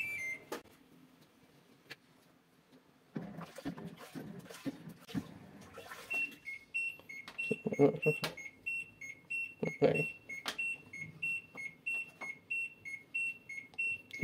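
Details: LG washing machine won't start after pressing Start, beeping short high tones nonstop about every half second; lid (cover-open) sensor has failed, not working even with a magnet, fixed by bypassing the sensor on the board.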